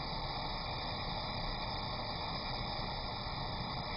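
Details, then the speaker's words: Glassblowing torch with the oxygen turned up: loud steady rushing hiss with no change in pitch, an oxidizing flame with excess oxygen and a more feathered tip than a neutral flame. "one of the characteristics of an oxidizing flame is the hissing that you have you hear that hissing sound plus the end of the uh flame is more fettered than a neutral"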